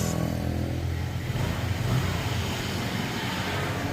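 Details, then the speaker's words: Honda Vario automatic scooter after cleaning the clutch housing (bell): engine revs smoothly with a steady low drone, the previous clicking/rattling noise gone. "dan inilah teman-teman, suara kletek-kleteknya sudah hilang dan bunyinya sudah halus seperti baru lagi."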